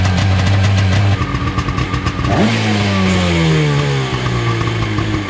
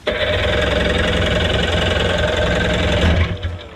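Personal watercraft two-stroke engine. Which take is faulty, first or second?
second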